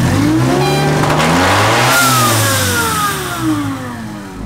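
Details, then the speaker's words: Miata with a junkyard M45 supercharger, throttle body in the stock location, and a blow-off valve added because the supercharger's recirculating valve wasn't working. Revs rise and fall cleanly with climbing supercharger whine and no stumble; it sounds much better. "take whatever this is it sounds way better"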